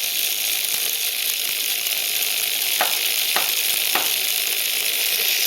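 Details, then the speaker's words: Tiny class-kit brushed DC motor rated for 1.5 V, overdriven at 24–32 V and nearly 2 A: high fast whine under a harsh crackling sizzle with sharp snaps as brushes arc and the copper commutator burns out. "See the sparking right there? That's arcing. That's literally the copper is burning out."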